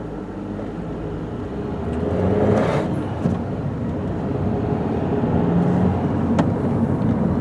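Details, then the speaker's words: 2006 Citroen C4 1.6 petrol on road test: over road roar a low droning hum rises in left turns as weight loads the right side, seemingly from the front; suspected worn right front wheel bearing, no play found yet; rotational hum when turning. "heard a sort of noise as I turned it to the left so the weight went onto the uh onto the right hand side sounds like it is coming from this front"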